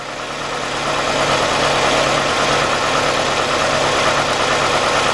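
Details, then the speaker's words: 1993 Nissan Altima GXE four-cylinder with rough idle and misfire: uneven, lumpy, stumbling idle. Unplugging the cylinder 2 fuel injector makes no difference, so cylinder 2 is dead; a bad injector is suspected, fixed by injector replacement. "we go see that is no difference what so ever so what that's telling me we got a bad problem right here with number two Silva"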